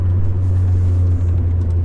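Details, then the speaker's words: Honda Prelude engine after blown valve, driving, steady deep smooth drone without knocks or misses, slightly laggy right off acceleration likely distributor spark timing; sounds normal, slightly better than before. "But it sounds about like what it did, if anything, a little bit better than before when the valve blew out, so I have no complaints there."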